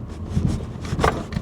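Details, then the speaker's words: BMW E87 118d on new Yokohama Advan Neova AD08RS 215/45 R17 tyres with 20 mm rear wheel spacers, driving over bumps: short scraping rubs come and go over low road noise as a rear tyre catches the arch liner; later fixed with 15 mm spacers. "Bit bumpy down there, let's give it a go. Oh, we're catching on the wheel liners."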